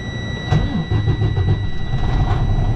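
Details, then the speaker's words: Freightliner Cascadia diesel after crank sensor replacement, previously cranking about 30 seconds before starting after shutoff: catches within a moment into a steady, even low idle; healthy quick start. "how fast the drink normally it had the spin-spin-spin for about 30 seconds before they bust off"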